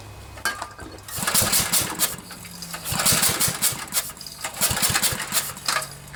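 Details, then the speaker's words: Generac generator with 10 hp Briggs & Stratton engine, new spark plug, spark and fuel confirmed: cranking pulls bring hissy puffs of escaping air instead of firing; compression loss, suspected blown head gasket, later replaced. "See, it kind of sounds like air is escaping somewhere, so I'm beginning to think it might be a head gasket."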